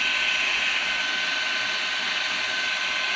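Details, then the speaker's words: Perrysmith vacuum cleaner whose motor kept jamming and stopping from hair buildup, after cleaning, a drilled modification and the bearing adjusted back: a high, steady motor whine at full speed with no stutter or drop-outs, spinning freely. "Dia punya pergi memanguh pergi memang laju eh."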